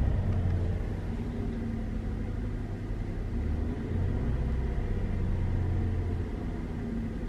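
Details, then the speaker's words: Wife's Chevrolet Traverse after replacing bad spark plugs and idle relearn, held about 1500 rpm: smooth low hum, steady, no stumbles; still balancing slightly, scanner shows no misfires; normal running. "now that's better it's still balancing a little bit but it's not quite as bad as it was and then we've got no misfires so that's cool"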